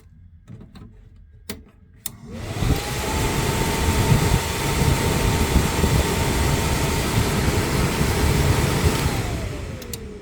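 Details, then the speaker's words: Suburban SF-30F furnace from a 2007 Keystone Sprinter RV, on the bench after swapping in a good control board: the blower spins up to a steady, even whir with a clean constant tone, holds smoothly, then winds down; healthy, the old board was bad. "And as you can see, it works. So there you guys have it. We have a bad board."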